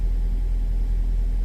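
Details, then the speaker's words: Nissan X-Trail with QR20 engine after repairing the P0302 cylinder two fault: restarted, steady, low, even idle rumble with no misses, stumbles or ticking; no check engine light, normal idle. "sounding much better. We don't have any check engine light on."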